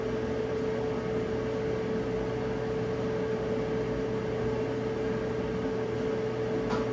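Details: Electric dryer after teardown and lint cleaning, on a short heat test checking the cycling thermostat: even whir of blower and drum with a steady hum, no scraping or thumping; running normally.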